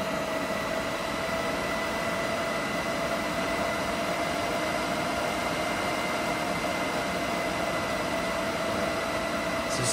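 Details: EG4 6000EX solar inverter in a barn system, charging batteries at about 50 A (100 A across two inverters): a steady electrical hum with fixed tones and an even cooling-fan rush, unchanging. Normal charging under load.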